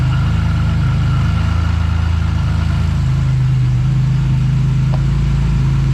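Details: Buick GS after a Big 3 power and ground wiring upgrade, started in the rain with the A/C off, showing 14.4 volts. A low, even idle with a steady beat and no knocks, misses or whine, a normal idle.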